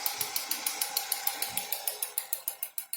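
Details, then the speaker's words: Hyundai Accent running on LPG at idle, sharp even clicking about three times a second from the broken cylinder 1 gas injector, which rattles and overfuels; engine runs noticeably worse on gas than petrol. "работает заметно хуже, чем на бензине, потому что видно даже МАП 044 и слышно, как тарахтит одна газовая форсунка. Её даже пальцем слышно. Первая тарахтит разбитая."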